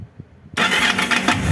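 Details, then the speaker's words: Yamaha DragStar XVS 1100, warm engine: a few faint low thumps, then a harsh metallic clatter as the starter engages, from a slipping, worn starter one-way clutch; clicking also heard at shutdown. "You could clearly hear it, and when you turn it off, there's also a clicking noise."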